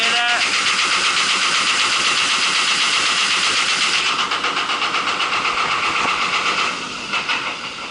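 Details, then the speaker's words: Marley cooling tower fan Geareducer (differential gearbox) defective, running with extremely loud harsh grinding roar pulsing about four times a second as it slows; unit to be removed and taken to shop for repair. "This was the one that I had a issue with the differential gearbox making extremely loud noise."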